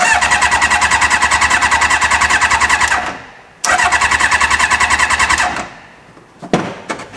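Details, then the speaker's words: Reliant with motorbike engine swap, fuel line pulled off the carb to test delivery: starter churns steadily twice for about three seconds with no firing; crank no start, pump not pulling fuel through, no fuel delivery. "we got the fuel line here so we just going to sacrifice a little bit of fuel no we're not getting no fuel"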